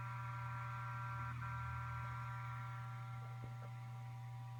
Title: ST8000DM002. Buzzing noise when idle